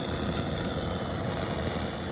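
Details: Old-fashioned antique white-gas (liquid fuel) blowtorch, restored, once used for heating rivets and soldering: steady, even rushing roar with no sputter or popping; torch lit cleanly and burning strong, adjustable flame; normal burner roar.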